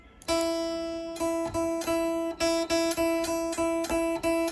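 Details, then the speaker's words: Kit guitar with a locking nut that was buzzing, after the second fix attempt at the nut: a repeated note rings clean and sustained like a bell, with no fizz or rattle; the string now seats properly and the buzz is solved. "So this is after the second hit. Rings like a bell. Problem solved."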